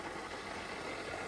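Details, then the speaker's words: Holden VY Commodore neglected and sitting for years, first run after coolant refill and bleeding: idle with loud, busy top-end mechanical clatter; noisy engine, source not identified. "Sweet, she's back up and running. Far out, it is noisy, but"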